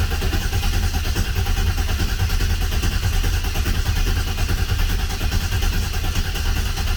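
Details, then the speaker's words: Oldsmobile 442 V8 rebuilt with new cam, pushrods, oil pump, valve springs, heads, full of assembly lube, no injectors or fuel pump connected: even steady cranking without firing to prime oil, reaching 60 psi oil pressure cranking. "so we're going to crank this until we see oil pressure on the factory gauge so we're not uh I mean it's full of assembly lube and everything and it'd probably be fine"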